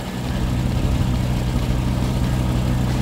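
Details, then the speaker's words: WW1 replica airplane engine, started after years sitting in a shed, at idle. Smooth, steady, very quiet low burble with an even beat and no misses or rattles; sounds like a two-stroke from the other side; runs very well. "dude it's really quiet I'm just impressed with how quiet it is like I'm telling you and I'm not even like talking loud that's crazy"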